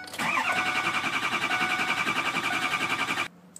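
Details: 2004 Ford Excursion 6.0L Powerstroke diesel: cranks at about three and a half beats a second and hiccups without catching, then cuts out; all injector circuits read low, so the failing FICM injector control module needs replacing. Crank no-start.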